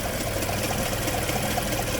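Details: Mazda with about 116,000 km at idle in neutral: fast, even grinding tick four or five times a second that began at 114,500 km; fuel additive did not help, chain tensioner wear was suspected, but the accessory belt was found worn and nearly torn.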